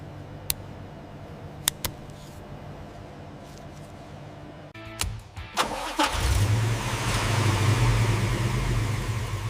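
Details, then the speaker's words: 1963 Chevrolet Corvette Sting Ray V8 during a total overhaul, cooling and electrics reconnected: short crank, quick catch, then a steady, even idle with a smooth low rumble and no knocks or misses; normal idle. "sound never gets old. Everything looks right."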